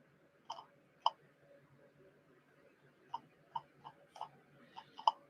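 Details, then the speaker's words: Geiger counter on a weak tritium source with the shutter closed: the ticks slow down a lot to sparse, irregular sharp clicks, roughly two a second over a quiet room. A normal low count rate. "And again, if I close that shutter, pop it on with the shutter closed, here all of a sudden the ticks have basically slowed down a lot."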